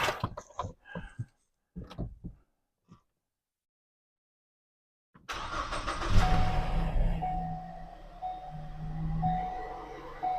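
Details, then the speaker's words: 2014 Ford Escape after battery replacement, not started in a while, air cleaner out: brief crank catches right away and settles into a steady, even idle; normal start. "Yay! It has started up. Crank over, no problem."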